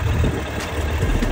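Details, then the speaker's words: Suzuki GSF1200S four-cylinder, warm, after vacuum line and carburetor work for sneezing: even, deep idle holding about 1,000 rpm with no misses, hunting or clatter; normal idle. "1.000 оборотов держит Звук вот такой он не шумит ничего не орёт"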